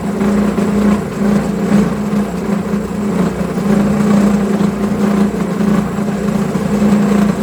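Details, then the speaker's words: Homemade milling machine second test cut, spindle at 1900 rpm, after reducing X/Y table play though play remains (no dovetails); steady motor hum with rough fluttering cutting noise that catches and chatters; milling chatter from table play. "it surely cuts much better but there's still too much play in the entire setup you can hear it shatter a lot but all the problems can be fixed"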